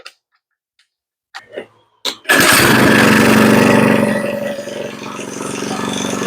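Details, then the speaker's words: Earthquake Versa tiller, sat a year, just fitted with a new carburetor: small engine runs fast then sags and climbs back unevenly, cycling up and down; idle set below spec so the governor hunts. "you could hear that harmonic when I first started it and you could see it was idling up and down and up and down and the reason it was doing that was the idle was set completely out"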